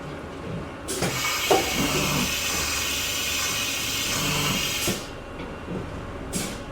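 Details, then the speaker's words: Used CNC mill bought for about $1025, spindle just shifted into high gear by air, M6 change to tool 3: a sharp clunk, about four seconds of air hiss, then two more clunks. The automatic tool change cycles cleanly and sounds normal. "there it is beautiful tool change"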